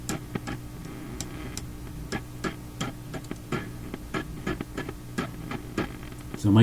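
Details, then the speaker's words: Philips Sonate BA581A tube radio: low mains hum with sharp clicks and crackles on lightly tapping parts near the volume control; microphonic crackling, very sensitive, source not yet found, loose parts not suspected. "uh arrangement here with these parts that are not like held down or floating i don't think it's the cause of the crackling very sensitive something i'm just barely touching these things now"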